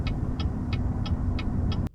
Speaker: what does it mean when all of a sudden one of your turn signals flashes and clicks rapidly? normally it's supposed to look and sound like this.